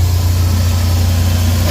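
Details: DA64/DA63/DA17 engine after repair and reassembly, running with AC on: steady, even low hum with no knocks, misses or surging; smooth healthy idle, no more vibration or stalling.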